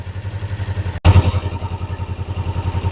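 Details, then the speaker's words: Kawasaki Ninja 500R parallel twin at operating temperature after carb synchronization, idle brought back up to spec: steady, evenly spaced low thumps with no stumble or hunting; normal idle. "So now I'm going to bring the idle up to where it should. That's where the idle should be."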